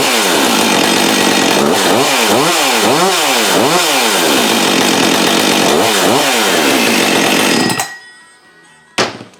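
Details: Husqvarna 562XP chainsaw, which came in not running with low compression and a marked piston, after repair: crisp revving up and down about three times a second, clean and responsive, returns to idle; no air leak.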